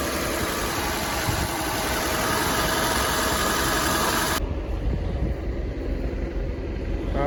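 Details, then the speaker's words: 1964 Chevrolet C20 after 19 years sitting, running after a fuel-line leak was fixed: loud, clattery engine with a ragged, uneven beat, smoking. Runs rough; owner hopes the rings will come around, cause not pinned down. "see if it'll start now laughs as well oh she is very noisy"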